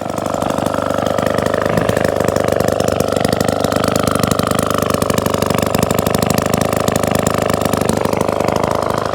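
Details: 1954 Atco Midget kick-start lawnmower, Villiers two-stroke, restored, first start after over 10 years, a bit smoky; steady, buzzy tick-over at even speed without stumbles or surges; normal, healthy idle.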